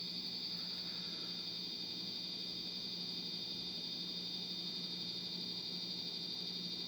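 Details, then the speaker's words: 1989 Casablanca Venus 52" ceiling fan with W11 control, suspected dead board, on high speed then reversing: steady high-pitched chirp about four times a second over the fan hum, likely from the fan's electronics; cause unconfirmed. "okay okay so we got high speed and some really weird noises now we're reversing okay i don't know what's going on with that noise it's really annoying"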